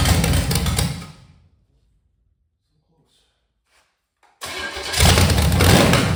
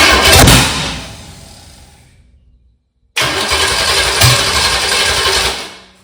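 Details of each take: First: 1985 Chevy Camaro 400/406 small-block V8 on open headers, first start in over 20 years after reseal, plug wires rotated: drops away briefly, then catches and settles into a choppy lopey big-cam idle; runs healthy, timing still to be dialed in. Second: 1985 Chevy Camaro 400/406 small-block V8, first start in over 20 years after reseal and new balancer, high compression, stock starter, 700 CCA battery: cranks, catches in a loud ragged burst, fades, fires unevenly without settling; owner says it needs adjusting, ignition timing off.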